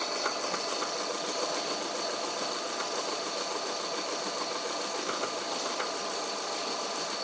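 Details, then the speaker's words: Idling Subaru with a light, uneven tapping under a thin hissy running sound: the new cheap Chinese-made timing belt tensioner knocks loudly and visibly pops, and the old worn tensioner couldn't be reused; old Gates belt reinstalled. "that new Chinese jump tensioner so we couldn't replace that with the old wore-out slippery tensioner not sure if you can hear it knocking loud as day you can see it popping"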